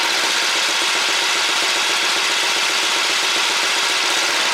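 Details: Super Bronc minibike, small engine believed to be about 8 hp, said by its previous owner to be no good, running on about half choke with a roughly set carburetor: a fast, even single-cylinder buzz with crisp exhaust pops and no misses.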